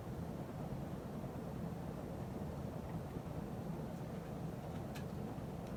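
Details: 52-inch Emerson Heat Fan ceiling fan dated September 1980, after blade balancing and bearing replacement: quiet, smooth, even hum with no clicks or bearing rumble; slight wobble, occasional buzz typical of the solid-state speed control; normal running.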